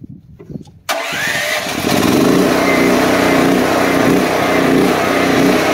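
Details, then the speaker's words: DuroMax XP13000EH generator, fuel selector switch bypassed, running on gas: at start it surges up and down briefly while the empty fuel line fills, then settles to an even run. "you saw that when i initially turned it on it surged for a little bit it's because the fuel line over here was uh didn't have anything in it so the carburetor was pulling pulling more and more and more until it eventually evened out and it started running pretty much smoothly"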